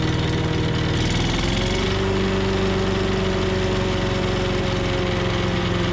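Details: 5.5 hp Tecumseh engine on an MTD Yard Machines chipper/shredder after a carb clean, governor linkage sticky. A brief pitch shift as the governor settles, then a steady, busy idle; it runs smoothly and evenly.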